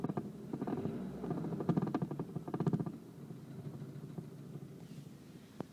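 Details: Golf engine knocking: bursts of sharp, fairly quick knocks over a low engine rumble, loudest early then fading; origin of the knock unknown.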